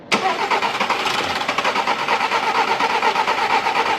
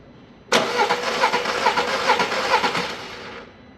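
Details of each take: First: 2010 VW Polo 1.4 naturally aspirated petrol, 29,600 km, after engine rebuild for bent valves with lifters drained and fuel system removed; starter churns about two beats a second for several seconds as it struggles to fire, normal extended cranking. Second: Engine that would not run, cranked after a timing belt and tensioner replacement: uneven cranking about two turns a second with a hollow ticking pulse, never firing. Valves are bent with noise in the cylinder head, so the head will be removed.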